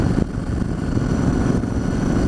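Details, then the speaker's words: Yamaha Virago XV1100 V-twin after replacing the regulator rectifier to cure a long-term occasional cough and splutter on one cylinder (stator tested fine): steady, even beat with clean low rumble, no stumbles; running nicely. "wow this is running nicely"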